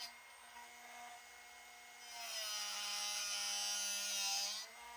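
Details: Drill bit sharpening machine set to 135-degree angle, bit rotated without pushing down: steady high grinding hiss swells then drops once grinding is finished; normal drill bit grinding.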